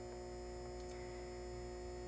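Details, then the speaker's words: Halco/ProLume 70W high pressure sodium bulb, old, cycling: steady fixed low ballast hum while lamp still holds its arc, before ballast starts to weaken. "So the ballast is still somewhat noisy, meaning that this lamp still is going to be turning on and keeping itself on."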